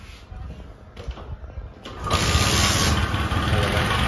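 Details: Bajaj Discover 125 after timing chain replacement: after a kick start the engine catches and runs loudly with a busy mechanical rattle over the beat; not the timing chain or crank main bearing but a pitted starter clutch gear.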